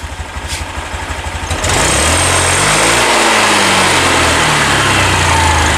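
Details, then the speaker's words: Honda Beat 2020 scooter, weak, tops out at 60 km/h slowly, wheels spin freely: smooth idle, then on throttle rpm climbs lazily instead of snapping up; fuel injection altitude mode needed resetting. "Oke jadi setelah misinya hidupkan suaminya halus dan saya gas itu saya geber rpm nya sulit untuk meningkat"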